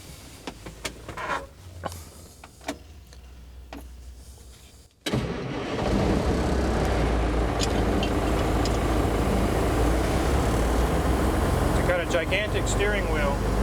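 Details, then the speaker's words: Old truck with huge engine and 7-speed shifter, showing 33,000 miles (possibly a million), air brake valve leaking: after rattles and clicks it starts quickly and settles into a steady low even idle, normal start and idle. "sorry for all the bouncing and shaking guys it's a huge engine"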